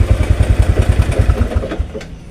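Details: Motorcycle with recurring dead batteries during charging check, voltage within 12–14 V normal range: even exhaust pulses about seven per second, no misses or clatter, then fades; healthy single idle, charging system concluded normal.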